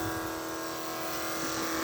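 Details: 1980 Trans Am nitrous kit fuel system: electric fuel pump flowing through the jet while setting nitrous fuel pressure. Even, steady hum at one pitch with no surging or strain; pressure stays at 9 psi, no leaks; normal.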